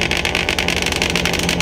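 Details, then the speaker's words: Turbo 1.8 Chevy Cruze on a FuelTech FT550 ECU, clutch-activated two-step set to 5,000 rpm to build boost: engine held hard at the rev ceiling, crackling and popping in rapid bursts; launch limiter working. "so I have it set up towards where it's set up to my clutch so if I press the clutch in twostep activates there we go"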